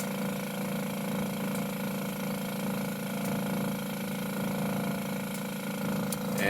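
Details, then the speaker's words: Met One E-SEQ-FRM sequential sampler pump during flow check, stepping down from about 18.3 to the final 15 point: low steady hum with faint even flutter, no knocking or rattles; pump running normally. "Pump kicks down a little. Wait till this stabilizes at 15."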